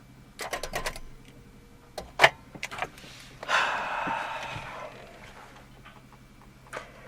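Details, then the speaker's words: 1994 Volvo 480 2.0 ES project car being restored for its MOT, first start attempt with clutch down after fuel pump primes; quick run of dry clicks and clunks, engine never turns over; battery suspected dead, starter clicking with no crank. "now let's clutch down and give it a go great start looks like that battery is dead"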